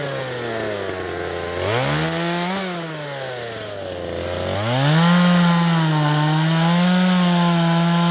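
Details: 1997 Poulan 2150 chainsaw, 23 years old, owner guesses 2.1 displacement; warm, just run; dull chain cutting box elder tops. Revs crisply, sags slightly biting wood, then holds a steady high note; normal cutting.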